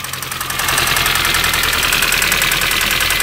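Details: MINI One R50 1.6 16v 90hp, cold idle: fast uneven metallic rattle about three a second riding over the engine, new when cold; slack timing chain, hydraulic tensioner not holding.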